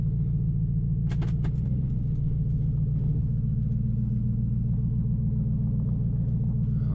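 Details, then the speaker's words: 2005 Nissan Titan at idle after an in-tank fuel pump rebuild with a Walbro pump, plus a new in-tank hose and new starter, muffler removed: deep, steady, even open-exhaust rumble with no skips or knocks, seemingly running better than before; normal idle. "seems like it's running real good even better than before hopefully i mean surely with all these new parts i've installed it better run better but should be good"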